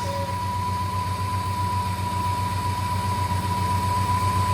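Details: 1958 Studebaker Golden Hawk after adding fuel and repriming, fuel in the accelerator pump following float bowl priming trouble: steady, even idle with a smooth low pulse about four beats a second and faint constant tone; normal idle.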